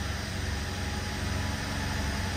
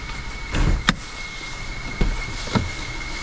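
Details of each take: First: BMW 750Li after transmission repair and refitting subframe, first start: engine idles with a steady, even low rumble, no misses, ticks or knocks, noticeably smoother and quieter than before; normal idle. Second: BMW 750Li after transmission repair, first start and drive, warm idle: a thin, steady high whistle that never changes pitch, louder at idle, heard from the rear of the engine; excess crankcase pressure escaping.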